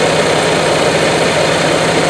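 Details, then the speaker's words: 20+-year-old Onan Marquis RV generator in a '98 Bounder motorhome, with only 60 hours of use, run after full maintenance and a carburetor rebuild: steady, even note with no misses, knocks or surging; running healthy. "It sounds really good, and I feel like we got a lot of it's got a lot of life left in it."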